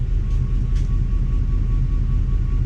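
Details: 2004 Ford F150 5.4 3V with flashing check engine light; deep uneven idle rumble with lumpy stumbling beat and engine rocking; non-contributing cylinder 8 misfire from a bad ignition coil.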